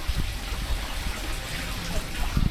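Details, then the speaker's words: Boat air-conditioning raw water outlet under the hull, after seacock blockage suspected and resolved: steady splashing gush with no sputter or gaps; water now discharging where before it wasn't, so pump is drawing water. "One of the easy ways of checking whether it was working or not was to see whether there was water coming out of the outlet underneath the boat. In fact, I'll show you. Before it wasn't, and now it is."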